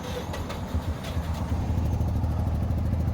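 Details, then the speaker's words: Mazda RX-7 rotary that died on the road, cranking with fuel pump off sounded like no compression on two rotor faces: uneven, lumpy chugging then dies; owner suspects blown apex seal. "Oh God! Oh, it sounds so bad. And she just died."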